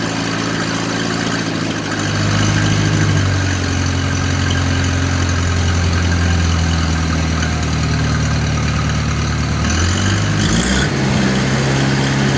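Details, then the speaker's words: 1980 International 184 Loboy tractor, recently acquired, running after ignition switch and wiring repair; even steady engine rumble changing smoothly with revs, no misfire or knock, normal running. "Yeah, it's still on. But, oh, runs good, huh?"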